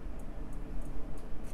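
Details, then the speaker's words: Accuphase P-300 power amplifier that would not power on, at switch-on: faint sharp clicks about three a second over low mains hum; small relay dropping in and out, suspected tied to faulty 16 V rail. "there's a little relay on this board that's just clicking in and out a bunch of times that's also i think related to that 16 volt circuit"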